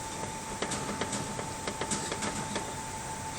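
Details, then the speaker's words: Ford Focus 3, 4 months old, 10,000 km, knock in steering while driving on gravel: irregular light knocks and clicks as left steering shaft is moved up and down, felt in wheel and pedal assembly; steering rack play. "Фокус 3 4 месяца автомобилю 10.000 пробег неисправный стук в рулевом механизме во время движения по гравию"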